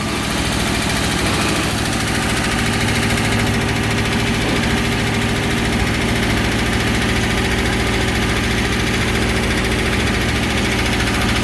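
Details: 403 Oldsmobile V8 in a vintage Baja jet boat at first start after a bottom-end rebuild with new crank and bearings, choke set. Steady, even idle with a smooth low rumble and no knocks or ticks. 70 psi oil pressure, no water in the oil. Normal idle.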